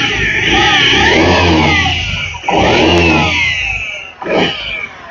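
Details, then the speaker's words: 2018 Honda Vision 110 scooter with ACG starter, only 4,368 km: engine revs with a wavering high squeak and creak, louder with drive belt tension; worn crankshaft bearing, not covered by warranty. "Chiếc này chắc chắn có ổ trục khuỷu phát ra tiếng ồn. Ổ trục khuỷu bị hỏng rồi các bạn ạ."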